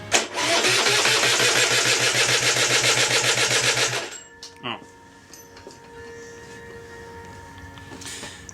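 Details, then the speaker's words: Aprilia RS125, Rotax 122 engine after full rebuild (new piston, conrod, bearings, seals, clutch; 12.1:1 compression), first start attempt: labored, slow, evenly pulsing cranking for about four seconds without catching; the engine is extremely tight turning over. "no jeez that's tight turning over very very time and kind of a lock"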